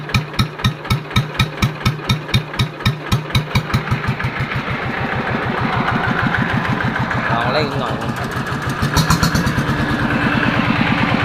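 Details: Yanmar TF115 LM single-cylinder diesel after repair for hard starting (pump plunger and other pump parts replaced; inner bearings not done): slow heavy thumps as it fires, settling to an even chug about two beats a second; healthy idle, good pressure.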